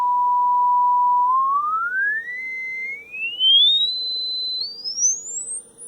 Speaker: pretty solid up to 10 K and they start to roll off after about 13 K so this one's alright